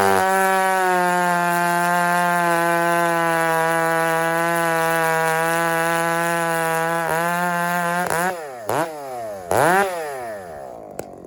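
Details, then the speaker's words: Husky 394 chainsaw at wide-open throttle. A steady scream with a soft four-stroking gurgle under the tone, then blips down; a healthy rich tune. "hey friends listen to the nine four when I just fired up and rev it out of the would like just just crack on it and hold it hold it wide open just listen to it"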